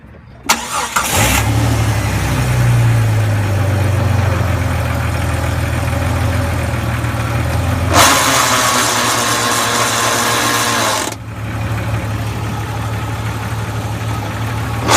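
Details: 2000 Jeep Cherokee idling with low drone; louder hissing, whirring noise when shifted into reverse or drive, quieter in neutral; owner suspects transmission problem, cause unconfirmed.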